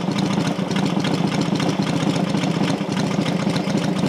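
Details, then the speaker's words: Rebuilt Matchless G12 twin (new crankshaft, conrod, main bearing) now warmed up, running a bit faster; even, steady beat at slightly raised idle, no knocks or rattles. Normal warm idle. "it will run a bit faster it's warmed up"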